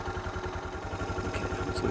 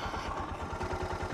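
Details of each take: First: Suzuki DR650 single-cylinder at about 7,000 feet, idle just adjusted up with the idle screw: quick, even thumping at a steady idle with no misses or stumbles; healthy idle. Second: Suzuki DR650 single at about 7,000 ft elevation, pulled over to adjust idle: slow, lazy, uneven thumps, idle sits low until the idle screw is turned in and it bumps up; low idle.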